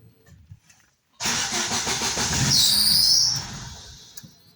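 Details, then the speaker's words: Daewoo Lanos with LPG that ran yesterday but after a night in the garage starts on petrol and stalls, though it runs on gas; throttle body newly replaced. Engine catches, runs about two seconds with a thin squeal, then dies. "На газове заводиться, працює, а на бензині не працює."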